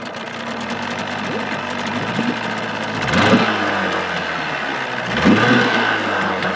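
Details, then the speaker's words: 1979 Evinrude 35hp outboard revved under its hood with sound-deadening insulation: a muffled steady hum with two quick rev swells rising and falling cleanly, no knocks or rattles; healthy. "so i think that's respectably quiet enough you could have a conversation over it right now"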